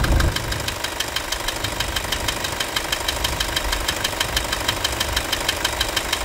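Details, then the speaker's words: Toyota Hilux 2.5 diesel idling after the repair: usual steady clatter, about three beats a second, no belt scraping or chirping; running normally. "hoje pode desligar nota 10 senhoras e senhores"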